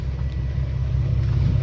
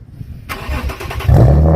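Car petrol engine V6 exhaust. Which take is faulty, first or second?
second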